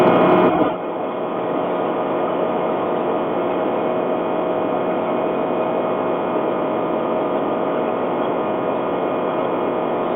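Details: Nissan Qashqai 2.0 CVT on long trips: at high revs a thin steady whistle sits over the engine and road noise. A possible CVT fault, unconfirmed.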